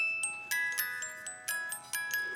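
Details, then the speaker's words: 1983 Hummel cuckoo clock music box, metal wheel, found in good shape during teardown for cleaning: clear plucked notes at an even pace with no drag; plays Edelweiss and Happy Wanderer; normal music box playing. "But the music box looks to be in really good shape. It plays nicely."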